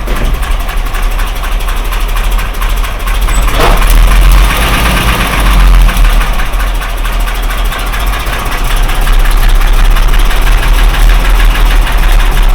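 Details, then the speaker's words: Mercedes 123, cold engine with oil pressure present, idling and revving: heavy dull knock deep in the block following engine speed; main (crank) bearings knocked, not connecting rods. "стуканул не шатуны А корень шатуны маленько звук другой будет ну сейчас заведём покажем"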